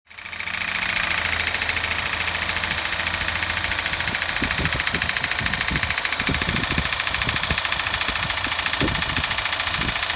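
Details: 2008 Daihatsu Hijet Cargo S331V, KF-VE engine, 100,266 km: a hard, regular knock about 3.5 times a second over the idle; timing chain, valve clearance and rod bearings ruled out, and the No.1 piston was found seized.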